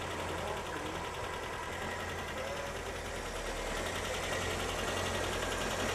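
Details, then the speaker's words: 1985 Ford Corcel with CHT engine, awaiting restoration, idling steady and even with a smooth low hum and no knocks or misses; engine running well and round, normal healthy idle. "O motor CHT funcionando bem, redondinho."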